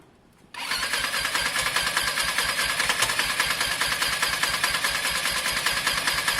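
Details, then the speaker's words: Lexmoto Diablo 125cc moped, just started: engine catches and settles into a fast, slightly uneven putter with hissy puffs as a big crankcase pressure buildup spits from the open breather where a pipe normally runs; owner had feared tampered valves. "there's a big buildup of pressure in the case in the housing what we're getting guys here is a big pressure so we're getting a spit from here once the pressure builds up in here um you normally have a pipe running there"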